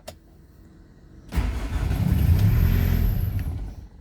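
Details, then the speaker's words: 2011 Hyundai i800 D4CB diesel that lost power on the motorway and won't start, cranked after glow plug light goes out: catches with a brief rumble for about two seconds then stalls; fault code P1185 logged, cause not confirmed. "now i'm going to start the engine so the engine start the engine starts and immediately stalls"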